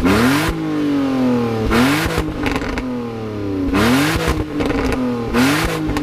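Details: BMW E46 drift project car just restarted after sitting three months, idling smooth. Repeated blips climb cleanly and fall back evenly with no knock or rattle: engine revs freely and sounds healthy.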